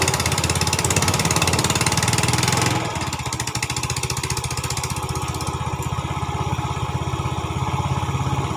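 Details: 2010 Yamaha Vega ZR single, after repair of a rough knocking noise around piston and cylinder head: runs up briefly then settles to an even idle about three and a half beats a second, no knock.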